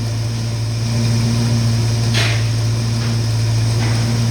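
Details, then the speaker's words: 1969 Mustang V8, timing advanced to 14 degrees (suspected cam), now idles smoothly after previously shaking; started immediately, deep steady idle with an even low pulse, no misses or stumble. Normal healthy idle. "Before it was shaking a little bit, wasn't running as smooth, and now it runs really nice and smooth. It started up immediately."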